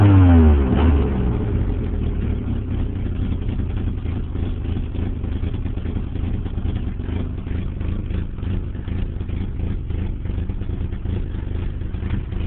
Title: 89 240sx rough idle